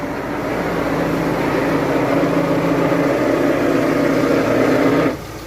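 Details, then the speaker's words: VW Amarok at idle, heard near the gearbox: rough, gritty whirring rattle with clutch pedal fully depressed, cutting off abruptly when released; worn pilot bearing, fixed by removing dual-mass flywheel and replacing bearing. "Olha o barulho que faz. Simplesmente a hora que nós pisa na embreagem lá. Ó, chega até o final, ela faz."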